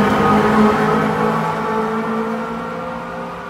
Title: Départ de VB2N et d’une BB27300 à la Gare des Clairières de Verneuil (bruit bizarre sur la BB27300)